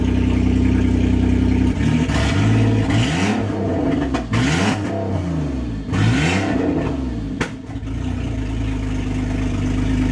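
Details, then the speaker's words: 2001 Ford Escape that previously wouldn't rev, now running after ECU and steering-column key-ring work; power steering line still unresolved. Idle, then several quick, even sweeps up and down without bogging. Revs freely. "If you remember, this thing wouldn't rev, wouldn't get out of its way, wouldn't do nothing. Still got the power steering line, but it revs now."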